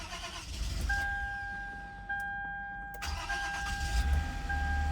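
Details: 2009 Toyota Venza with a crank-but-no-start complaint, after replacing the part with the internal relay: over a steady dash chime the starter cranks briefly, then the engine catches and settles into a smooth, even idle; normal start.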